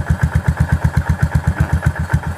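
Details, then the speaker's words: Yamaha SR400 after repair of loud valve-rocker clatter: a slow, even single-cylinder thump at steady idle with no top-end ticking, much quieter than before. Normal idle. "ผมบอกว่าผมบอกเลยว่าคันนี้เงียบสุดเลยนะครับผมดูครับเดินเปานี่นิ่งกิ๊กเลยอ่ะแตกต่างจากที่เอามานะครับ"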